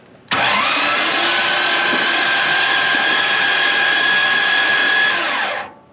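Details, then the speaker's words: Fire-damaged 1955 Chevy Bel Air, high-torque starter with water pouring out: a steady high whirr, rising then level, turning the engine without hiccups but with little bite; a water-soaked starter losing torque. "that is water coming out of the starter I have a feeling this won't last long but it is working"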